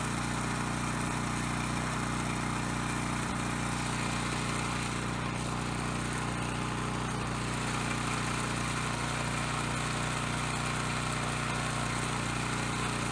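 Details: Coleman Powermate Pulse 1850 generator, surged when last run over a year ago, now after carb cleaning and new fuel lines, fuel filter and clean spark arrestor. Air box off while the pilot jet mixture is being set. Steady, even speed with no surging or hunting.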